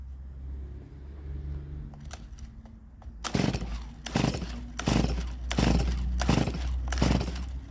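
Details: Stihl MS170 chainsaw, a roadside find not started in years. Six quick pull-cord bursts about three-quarters of a second apart turn it over, but it never catches because no fuel is in the system yet.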